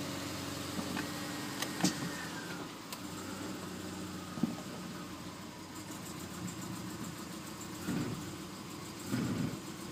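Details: 2004 Subaru Forester XS at about 110,000 miles, cold-start idle loud, uneven and shaking with stumbles, worsening over time; #3 spark plug troubled by oil in the plug well, fixed by replacing valve cover gaskets and plug well seals.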